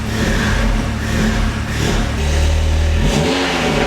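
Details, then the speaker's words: Audi S3 (EA888) with a Stone valvetronic catback exhaust, after reassembly: the engine cranks, catches and settles into an uneven idle with a couple of short revs. It runs again; whether the coolant holds is still unknown. "yes please tell me that worked i fixed okay so only time will tell now whether the coolant will hold"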